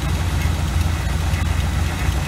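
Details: 1986 GMC small-block 400 V8 with Edelbrock carburetor being adjusted; deep idle with uneven lumpy beat and wavering loudness, rough idle, spark plugs suspected, cause unconfirmed.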